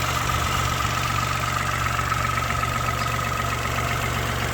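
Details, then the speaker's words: Peugeot 107 1.0-litre engine, just bought: steady idle with a faint, fast irregular ticking over the engine note; owner finds a crack in the exhaust manifold, cause not confirmed. "Hi there folks. So just bought this Peugeot 107 one liter engine. This funny little noise. Wonder if anyone has an idea what it could be, where it's coming from."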